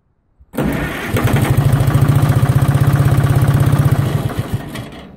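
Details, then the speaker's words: Detroit Diesel 4-53 after replacing a leaking injector, intake removed: engine catches, pulses evenly about four beats a second for several seconds, then dies. Fires but won't keep running; owner suspects air in fuel line, needing bleeding. "okay that sounded better so maybe uh the thing didn't stay running i don't know we'll see i might have to bleed the fuel a little bit to get that staying running"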